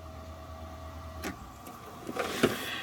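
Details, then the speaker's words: Fuel pump run with engine off by jumpering relay pins 30 and 87 through a DC ammeter: faint steady electric hum, no rattle or labouring; draws 5.99 amps, pump normal. "here we go fuel pump's running and i'm getting 5.99 amps"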